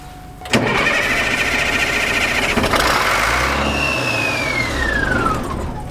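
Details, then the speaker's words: Military truck unstarted for 10+ years, first start with the electric fuel pump confirmed delivering fuel: steady cranking catches into rough, uneven firing on ether starting fluid, then a fading whistle as it winds down. "oh you give it some ether I did all right let me get in it"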